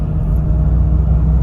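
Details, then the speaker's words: Opel Astra makes a steady, deep droning rumble while driving that doesn't stop when pressing the brake or accelerator, ruling out the gearbox; no wheel play was found, and worn wheel bearings are suspected, unconfirmed. "donc ça vient souvent d'un roulement on l'aimé la roue il voit ci a pas de jeu déjà mais c'est brûla c'est sûrement les roulements de roue"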